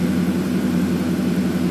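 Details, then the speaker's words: 2007 Ford F150 5.4 V8 after replacing fuel injectors with new Bosch units for misfire: steady, even low drone with no skips at idle; running much smoother, only slight stumble on cylinders two and five. "now the truck is running significantly smoother than it was before"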